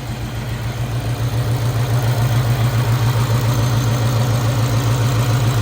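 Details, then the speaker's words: Ford Mustang Cobra, first start after new ported supercharger install: lumpy, uneven, pulsing idle, sounds like it's missing; exhaust cam position actuator circuit code and a Bank 2 issue suspected, connector and wires swapped. "so that sounds like it's missing before this thing gets too hot"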